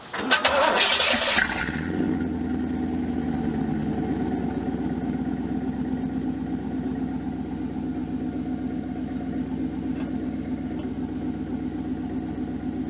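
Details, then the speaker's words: 1992 Camaro Z28 with a stock L98 350 V8, a Flowmaster Super 10 muffler loosely set in place unclamped for a sound test, headers not yet installed: it cranks and catches into a loping idle with a raspy puff, as exhaust likely escapes at the joint. "um definitely big enough probably get Eric scaping through here but at least we can kind of hear what it sounds"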